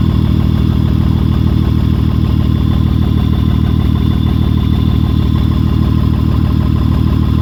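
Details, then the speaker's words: 2003 Honda Odyssey 3.5 L coil-on-plug engine idling, catalytic converter disconnected so the exhaust is loud: an uneven, stumbling beat with a repeating drop in the pulse that shakes the hood; a dead miss from a shorted ignition coil. "The shaking of the hood kind of shows you the miss, maybe more than the sound. I'm not sure how well the sound will show up, but in a pattern that matches exactly what this misfire is. So it has a dead miss for sure."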